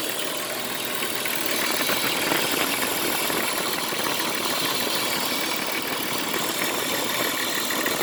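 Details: Jeep Cherokee XJ at idle: busy metallic rattle or knock with strong hiss, owner also reports scraping like a freight train braking from the power steering pump area; source unclear.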